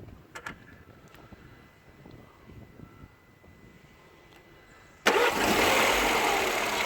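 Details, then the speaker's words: Toyota RAV4, slow to start from cold, timing checked good: quiet with light ticks, then a harsh clattery rush on start-up that stops once oil pressure builds; suspected timing chain slap from oil draining off, unconfirmed. "you think it's a chain slap in the plastic possibly it's both off it's oil first removed yeah that's what i think that's why i think it's got to be oil pressure related because as soon as it's got pressure it doesn't do it anymore"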